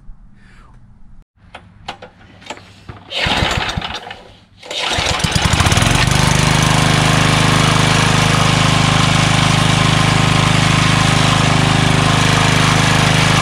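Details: Craftsman 3 HP Tecumseh lawn edger, after water-contaminated oil changed, tank cleaned, new carburetor, gas line and air filter, running with fuel stabilizer added: steady even run, constant note, no misses; healthy.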